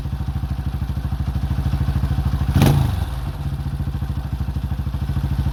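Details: 2005 Honda CRF150F single after valve adjustment and carburetor tune-up (brought in as a no-start, traced to the carb), idling during carb adjustment: an even, quick putter with one brief thump midway and no clatter or stumbling. A healthy idle.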